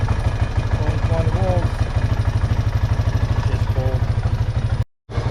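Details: 2009 Honda Rubicon T500 (Foreman) ATV with battery draining overnight, started in neutral on freshly charged battery: steady, even low thump idle, no misses or knocks; engine clean, battery later found bulged and leaking.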